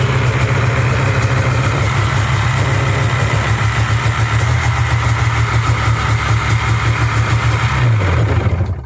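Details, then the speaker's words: Sea-Doo two-stroke after retorquing a leaking, under-torqued cylinder head that was losing compression (previously 120s psi): fires and holds a steady, even burble at idle for several seconds before shutdown; healthy. "right, well, I'm not gonna run it much past that, but at least it started and sounded okay."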